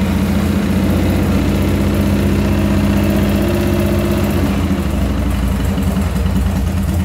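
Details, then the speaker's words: Chicco Jerikho's twin-cylinder motorcycle, first started after its electrical rebuild: a rough, uneven idle with one beat of each pair weak instead of a crisp twin rhythm, one cylinder firing weakly, later traced to a faulty module on teardown. "Jadi dia nggak stabil gitu. Harusnya kan dua tuh, taktuk, ternyata dia cuma satu gitu. Cuman yang kedua tuh agak-agak lemah gitu."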